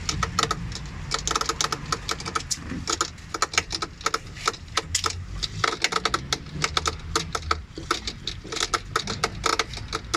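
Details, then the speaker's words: Panasonic automatic top-load washing machine making rapid, irregular clicking and rattling beneath the tub during the wash, intermittently. It also dumps water by itself, and the technician's suspected fault is confirmed and a part is to be replaced. "ba So yun Yung maingay na narinig nila so tama yung hinala ko kanina yun ng may problem"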